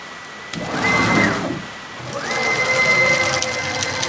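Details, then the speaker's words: Onefinity Elite Gen 2 Journeyman CNC jogged by joystick controller at Ultra speed: two fast moves with clean stepper whine climbing and settling, light rattle and ting from unsupported X/Y ball screws bouncing; normal by design, no grinding, not bearing noise. "So you've got a lot of these ball screws for the X and Y axis, and they're not supported by design. They can't be. So you're going to hear a little bit of a ting from those as they bounce around a little bit. It's just the nature of the beast."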